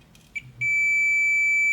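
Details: Midea air conditioner control board that will not power on, diode test: short tick then a continuous steady meter tone, diode shorted.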